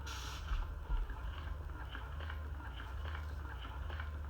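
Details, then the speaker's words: Hygeia EnDeare breast pump tested with pressure gauge, going from lowest setting (~100 mmHg negative) upward: steady low motor hum with soft rhythmic suction pulses about twice a second, hissing air leak quietening as pressure rises; normal operation. "you'll actually hear this air that's kind of hissing you'll hear that get a little quieter because basically we're just covering up as we turn this up we're turning up the pressure"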